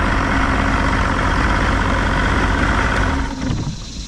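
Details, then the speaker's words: Johnson outboard (1993 60hp or 1973 65hp) after remote ignition switch and wiring repair; hesitates a second on cranking then fires right in, settling to a steady even smooth two-stroke idle with no misses. "And then we crank it. I don't know why I took it hesitated for a second. Fires right in. Good."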